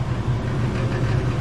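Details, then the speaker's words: Furnace after replacing the worn, frozen draft inducer motor with a new one: steady, even low hum with no rattles, scraping or surging as it completes the cycle and produces heat; normal furnace operation. "This is the new one. As you can see, it went through the cycle and we had heat. Everything's working perfectly thus far."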